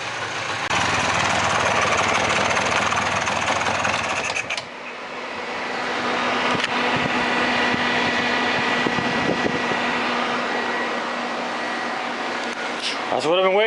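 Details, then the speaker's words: Mid-90s Polaris 400 ATV revived from parts, idling until hot: steady engine then a constant hum joins and holds as the cooling fan cuts in; fan works normally. "All right, so the fan works."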